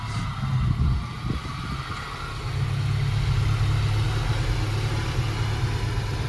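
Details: Volvo 240, off the road 19 years: a rough, low idle after a throttle blip, with a faint whirring over it; the owner notes the clutch release bearing is a bit noisy. The car is also overheating, with an air lock, faulty sensor or faulty gauge suspected.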